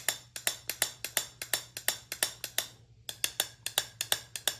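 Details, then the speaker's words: Small-block Chevy pistons rung like bells off the engine: crisp metallic pings, and cylinder #3's piston rings higher in pitch, revealing a crack. That cylinder had an oil-fouled, carbon-heavy plug. "the one that has a crack has got a little bit higher pitch than the other one."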